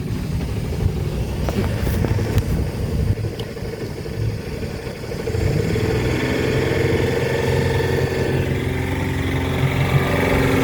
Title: Volvo Penta 4.3GL-E SX Stern Drive - Knocking noise